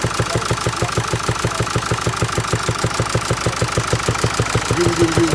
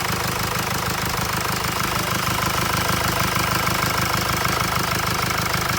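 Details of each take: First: 2016 Mercedes E-Class with 654 diesel engine, idling with a steady sharp knock repeating a few times a second. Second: 2016 Mercedes E-Class with 654 diesel engine, after repair of a strange knocking noise and reassembly: a steady, even idle with the usual light clatter and no irregular knock. The engine sounds healthy.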